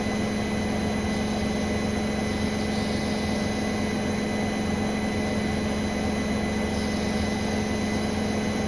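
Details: Brand-new Bosch Serie 4 WAN28281GB washing machine on the final fast spin, perfectly balanced: steady high-pitched squeal over the drum hum. The seal is clear of the drum; owner suspects bearings or the EcoSilence drive belt, unconfirmed.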